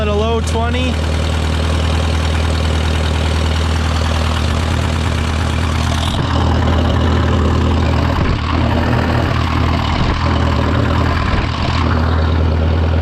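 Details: Case VAC tractor after an aftermarket water pump was fitted, warming up with the gauge near 30°C and coolant flowing; it had stopped cooling after a coolant change. A steady, even low rumble with no knocks, misses or surging: a normal idle.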